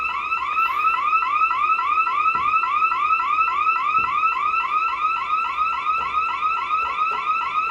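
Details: Bosch/Radionics 4012/8012 alarm panel demo, armed then front motion zone tripped: loud electronic siren warbling evenly at about three and a half sweeps a second, burglar alarm triggered.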